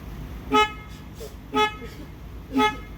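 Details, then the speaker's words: 2005 PT Cruiser turbo convertible: three clean horn blasts about a second apart, steady pitch; panic alarm works normally, but door locks and rear deck trunk do not operate with key or remote. "Alright, the panic work. So, I just do not have any door lock operation."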